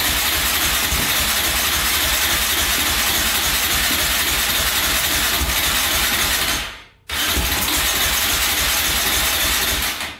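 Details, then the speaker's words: 2004 Yamaha Raptor 660 quad, gas down the carburetor, choke cable pulled by hand because its lever is broken: long fast rhythmic cranking, a short catch and drop, then more cranking; hard starting, owner thinks carbs badly need cleaning. "Oh, it stirred up there for a sec."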